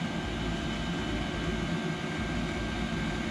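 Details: Cheap imported 5 kW diesel heater in a bus-to-RV conversion on first firing, fuel pumped from a tank in the basement: steady, even roar with a low rumble and no surging or popping; burning and running normally.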